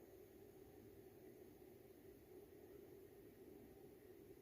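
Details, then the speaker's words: Chinese diesel air heater in regulation mode, pump suspended on elastic cords after soundproofing work: very quiet, even blower hum with no pump ticking heard, under 30 dB; normal running. "là on est en mode régulation on entend que la soufflerie je pense que vous entendez pas du tout la"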